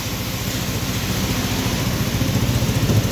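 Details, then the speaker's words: Volta RM5X 160cc scooter, about 10,000 on the clock, started after variator service, new belt, 16–17 g rollers and oil and transmission oil change. Steady, even idle putter with no squeal or knock; normal idle. "Evet motorumuz bakım işlerimiz tamamlandı motoru şu an çalıştırdım gayet güzel"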